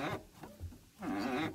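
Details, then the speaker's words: 2004 Silverado 5-speed after a new clutch pedal assembly was fitted: a wavering, whiny creak each time the pedal goes down and up. Grease was wiped off the white ball pivot, which is suspected; the planned fix is to regrease it. "Now all my grease wiped off the end of that before I got it back together. You hear how noisy that thing is?"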